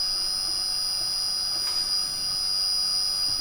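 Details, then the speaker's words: Milo v1.5 CNC mill (LDO kit), first power-up with full wiring, VFD-driven spindle commanded to 10,000 rpm after failing to turn at lower settings: steady high-pitched whine at one pitch; normal, the VFD louder than the spindle. "It's turning. 10,000. Off. On. Off. On. That's not that loud. The VFD is loud."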